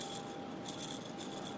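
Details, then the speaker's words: Old removed engine bearings from a Polaris Trail Boss 250 rebuild spun by hand: loose, jingly rattle with bright clicking, completely worn with play felt physically. "These are the old bearings. You can hear they're just completely toast."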